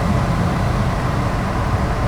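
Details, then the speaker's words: Blower motor running on high (speed 4), with the blower motor resistor behind the glove box suspected faulty: steady low whooshing rumble, even and unbroken; speeds 3, 2 and 1 still give nothing. "And you can see it's working, right? It's on high."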